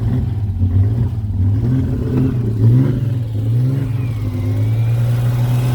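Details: Ford Capri 3.0L V6 stored 20 years, running after dirty ignition points were cleaned to restore spark: steady, even low engine note with a couple of smooth throttle blips, no knocks or misses; good oil pressure, running healthy.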